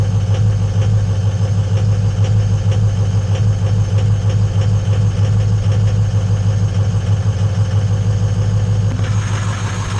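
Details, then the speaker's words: 6.0 L diesel truck cold start after sitting overnight at about 50-60°F, no check engine lights: loping, uneven clatter about three beats a second with one cylinder lagging, then revved up; bad number 4 injector, which passes the buzz test. "all right so I'm not going to wait for it to go into high Idol I'm just going to kick it up a notch and we'll watch it shake"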